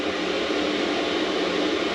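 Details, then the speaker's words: Newly installed Maxpeedingrods diesel heater in a Mercedes Vario camper van, running on its lowest setting and blowing hot air. A steady, even rushing hum from the fan and burner with no audible fuel pump ticking; very quiet and running normally. "I'm really pleased that's just really super quiet you can hardly hear that diesel heater on its lowest setting"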